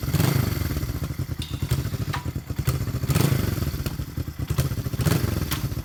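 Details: 1973 Honda CB350G twin, 4404 believed-original miles, engine cold and not yet started that day: settles into a lumpy but even idle with steady exhaust pulses and no knocks or rattles; sounds healthy.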